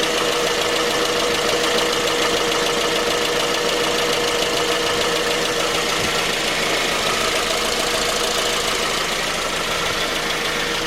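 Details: 2010 J20A engine at cold idle: a steady light knock, roughly two per second, over the engine hum. It appeared at 10,000 km, dealer checks were normal, and it progressed after oil changes. Cause was a scored crankshaft journal on cylinder 3.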